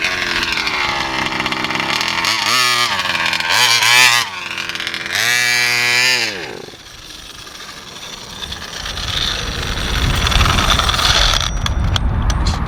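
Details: VEKTA.5 RC car, Walbro 1107 carb reset to factory settings (high full turns, low 1.5), old spark plug, seems to flood: screaming revs rise and fall in bursts, then sag and cut out; bogs and dies at high speed.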